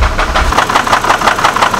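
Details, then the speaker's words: Copart Hummer H3 at idle: sharp, regular ticking knock about eight per second. Owner hears and feels it on top of the engine and says it doesn't sound like a bottom-end issue, though a rod bearing problem had been suspected. "sounds like it's on the top of the engine and it sounds like it's coming from right here it definitely does not sound like a bottom ends issue"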